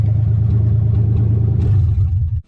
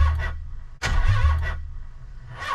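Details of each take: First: Nissan 300ZX with 1990 engine, after fitting replacement MAF, still cold (owner says valves need heat to seal): steady drone, smooth rev and clean return; revs smoother, no longer hesitant; normal revving. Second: Nissan 300ZX with engine just swapped in, first start after about 10 years unused, open downpipe with no exhaust: cranks, catches, loud uneven stumbling idle; misfire, owner suspects old bad gas.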